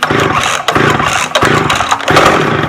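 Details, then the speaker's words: McCulloch 610 chainsaw after a carburetor cleaning, first start on choke with the high and low screws at a half turn: crisp buzzing bursts with clean throttle pickup; it runs like a champ. "wow she runs like a champ"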